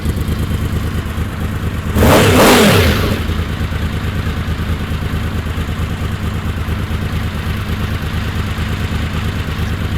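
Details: Honda VFR750 after carb rebuild with 40 jets (stock 38) and a fuel cut relay, float bowls not filled: uneven, lumpy idle with a brief rev falling back to a ragged beat; fuel starvation.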